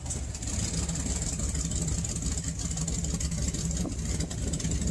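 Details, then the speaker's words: 1998 Ford F-150, 5.4L Triton V8, rough idle when stopped but runs fine on throttle, sometimes stalls: uneven lumpy idle that sounds almost like a misfire but isn't, with the exhaust shaking; caused by a vacuum leak. "the whole truck almost sounds like it's got a misfire but it doesn't"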